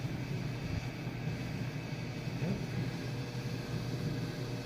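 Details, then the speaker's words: Maytag Bravos electric/steam dryer on 220 V, fully stripped, greased and reassembled, restarted with an empty drum. Steady, even low rumble and smooth hum with no knocks, scrapes or squeals; running normally. "good, working good. Sounds really good."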